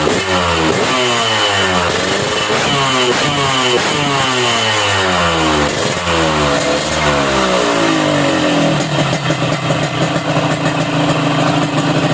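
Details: Yamaha RX King two-stroke blipped repeatedly with the carburetor air screw at half a turn out from closed; revs climb and drop back with a soft burbling exhaust, rich-side mixture setting.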